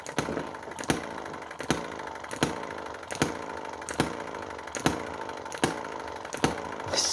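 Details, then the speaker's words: Chinese model hit-and-miss engine, just fixed so it sparks only when the valve is properly closed: sharp firing pops about every 0.75 seconds with coasting clatter between; steady even hit-and-miss cycle, running as it should. "that little bit there tells the engine not to spark unless the valve is in the correct closed position we should now have some life in this engine"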